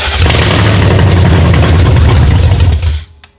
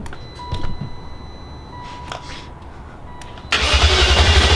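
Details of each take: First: Replacement E38 engine, original engine harness, clackety before priming: catches and runs with a deep, fairly even low thrum for about three seconds before shutting off; normal running. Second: Replacement E38 engine first start attempt: two short bursts of cranking, about two seconds each, with a beep between, never catching; jump pack cycling on and off, too weak to hold power, cranking without starting.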